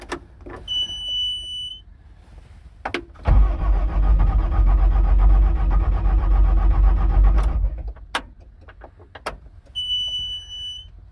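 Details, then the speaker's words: Bobcat diesel skid steer that only clicked at the key, after cleaning and tightening the battery connections: warning beeps, a brief crank, then a cold, grumpy, lumpy start that settles into running; normal cold start. "oh she's a little grumpy yes you are cold well there it is it's up and running"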